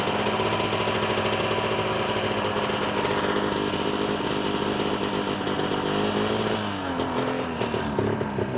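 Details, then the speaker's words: Ski-Doo 377 two-stroke snowmobile, just refueled: raspy drone with a rattling uneven scrape; secondary clutch wobbling badly because a plastic slider bushing is missing. "oh so that's not good the clutch is wobbling around big time because of those pieces that are missing in here"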